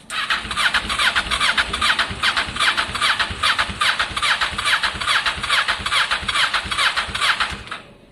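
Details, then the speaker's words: Kawasaki ER6 cafe-racer project, abandoned for years, first start after ignition and wiring work, no silencer fitted: fuel appears to prime, it cranks, catches and settles into a loud, crisp, even twin beat of about two pulses a second. Ignition working, healthy start. "So that is, of course, extremely good news. It fired up. That means our ignition system is currently working."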